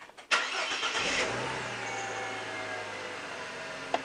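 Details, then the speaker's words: 2005 Ford Territory after starter motor replacement, fixing a no-start: short, even crank catches quickly and settles into a smooth steady idle, consistent on repeat starts; normal crank and start. "okay for a ford that sounded alright [Applause] now you might want to try it half a dozen times just to make sure that everything's okay that sounds pretty consistent"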